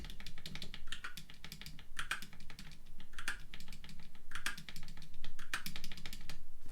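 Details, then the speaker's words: ZSA Moonlander large triangular thumb-key stabilizer after the rattle modification with tape on the stabilizer arms: crisp single key presses about once a second, each a clean tap without rattle, showing a normal firm press. "There's slightly more tape on this one than this one, so you can hear that's the sort of normal press."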